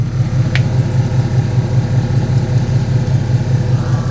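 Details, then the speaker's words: Hummer H2 pickup (supercharged) onboard air compressor mounted under the truck, used to inflate tires: steady low hum with a quick even pulsing, about two and a half beats a second, never faltering; running normally. "That's an air compressor. Do you hear it? It's under the truck."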